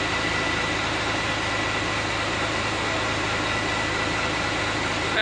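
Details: Hino FM260Ti dump truck (Hino 500) with a freshly assembled J08E diesel, idling steady and even with a smooth unbroken hum, no knocks or misses; sounds very smooth and healthy after rebuild.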